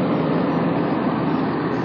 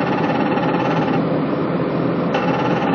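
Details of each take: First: Patrol RG 140 diesel at steady low idle, even and smooth, with no rattle or buzz; earlier strange noise was vibration at the oil reservoir drain, first suspected hydraulic pump, fixed by wedging a shim. Normal running, no rattle. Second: Patrol RG 140 running with a steady buzzy metallic rattle from the hydraulic oil reservoir drain vibrating; at first the hydraulic pump was suspected, fixed by wedging a small shim.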